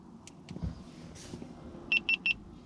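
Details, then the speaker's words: Jeep at startup in a quiet cabin: three quick high warning beeps, the alarm chime that sounds when the car is first started, normal but annoying to the owner. "as you can hear that beeping is everything going off when you first start the car so that's not annoying enough which is prob"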